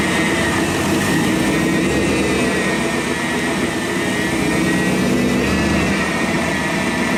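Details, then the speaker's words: Car started after a new water pump and hose, air box and sensor left unplugged, for a leak test: loud, steady raised idle with no dips or hunting; high idle from the disconnected sensors, and no leak is seen. "Seems to be all right. It's idling high, obviously, because it doesn't have any of its sensors hooked up, but that looks dry."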